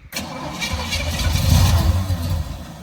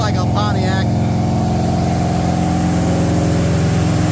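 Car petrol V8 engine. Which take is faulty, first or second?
first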